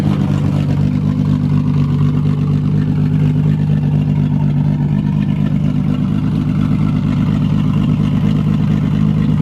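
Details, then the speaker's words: 1999 Regal 1800 SLR ski boat, 4.3 GL V6 MerCruiser inboard, sitting 12 months, just started on a new battery and warming up: deep, even low rumble with no knocks, misses or clatter; running smoothly. "[Music] sounds good so it sounds all right off ch's going off"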